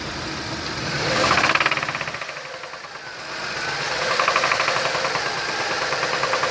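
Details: Toyota 1JZ-FSE engine at idle: a sharp, regular tapping of about three or four knocks a second rides over the engine, a clear internal knock of unknown cause.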